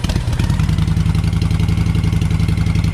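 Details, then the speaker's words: V-twin motorcycle after fitting Cobra 2000 EFI controller set at 122, status light green: lumpy, even beat about four pulses a second, no misses or clatter; RPMs sound better; normal idle. "The RPMs on this sound a lot better."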